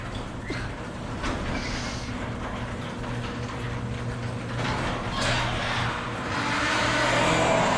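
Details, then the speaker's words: Very old garage door in motion: a continuous rumbling grind with rattles as the door travels, from worn rollers with failing bearings, before the rollers are replaced. "okay today's project is this really old garage store it sounds"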